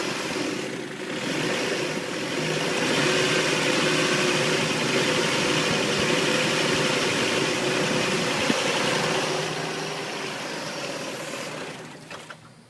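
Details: Engine just after head gasket replacement: uneven pulsing idle at about four beats a second under a light hiss. The owner suspects a vacuum leak; not confirmed.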